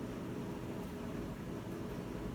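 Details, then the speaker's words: Whirlpool top-load washer that won't spin, still failing after recalibration; lid lock engaged, only a low steady drain-pump hum, no spin-up; faulty lid safety switch preventing spin. "el primer vídeo habíamos escuchado que empieza a hacerlo y empieza a mover lo que es latina pero solo la mueve un poco y hasta ahí queda ya no hace nada más"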